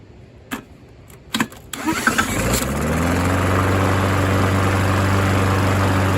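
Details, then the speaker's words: Yard Machines rear-wheel mower with a Briggs engine that had been seized, restarted after adding oil, with fuel and a rag in the intake; it cranks, then idles steadily with no rod knock. Owner suspects low oil caused the seizure. Normal running. "so that's not bad sounds good doesn't sound like there's any rod knock or anything so i think the motor is fine"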